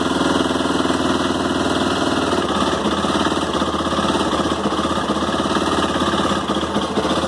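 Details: Honda CB 300 single-cylinder idling just after morning cold start, steady fast light ticking/snapping inside the engine over the beat; owner reports clicks on cold start, cause undetermined.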